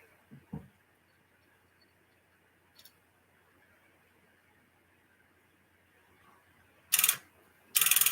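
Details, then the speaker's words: Sonar Linear tube amplifier after replacing two capacitors, tubes warmed over a minute, keyed up: mostly quiet, then short harsh buzzing rattles as the relay chatters instead of engaging; owner then realizes he forgot something. "no still not working that's not good after all that it's still chattering now I gotta go on finding out why it's still [Music] chattering it's like it wants to engage but it it just doesn't"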